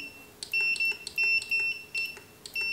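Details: Godox SK400 II studio flash with Error E3 and low power, before repair: high, sharp beeps in short irregular bursts, the Error 3 alarm; repairer suspects a failed earlier service elsewhere, not confirmed.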